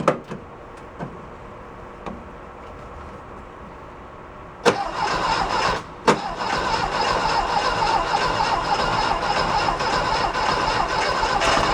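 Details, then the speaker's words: 1969 VW Fastback sitting 19 years: faint clicks, then engine catches and holds a busy uneven idle only on gas poured into the intake; fuel injection delivers no fuel, none flowing from fuel line when key cycled. "let's go at it again all right you can put your gas in it you can get it running off the"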